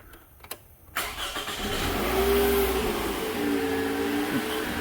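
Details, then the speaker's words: 2007 Toyota Camry at startup, before alternator replacement: engine catches and settles with a thin steady whine, possibly clicking, from the front above the idle; rusty alternator, worn bearing suspected, noise may change with heat. "Oh, yeah, it's making noise still. It's not as loud as it was, but if you look down here, see all that rust over in there? I got a funny feeling of bearings going out on it or something."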